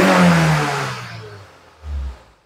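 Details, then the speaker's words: Kembara VVT (K3 engine) with black smoke and hesitation, no check-engine light, coil already replaced, MAP sensor suspected: RPM flares, sags and wavers, engine unstable and sometimes stalls; unstable idle, cause not confirmed. "Ya, sini RPM tidak stabil, nampak dia goyang-goyang ya. Engine pun tidak stabil."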